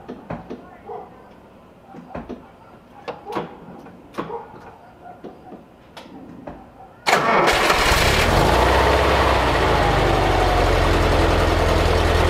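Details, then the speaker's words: 1958 Porsche 356A T2 cabriolet, cold, after an electrical tune-up (points, plugs, timing, distributor cap refitted): cranks and fires straight into a smooth, even idle hitting on all four cylinders; normal cold idle. "That's exactly how it should sound. Sounds wonderful. Nice and smooth."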